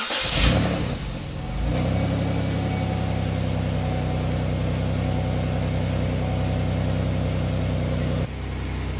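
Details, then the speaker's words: Car after fitting muffler and trimming tailpipe to fix exhaust: fires, then holds a steady deep even idle with no ticking, puffing or rasp; sounds much better; normal exhaust note. "that sounds a lot better now I shoulda done this weeks ago"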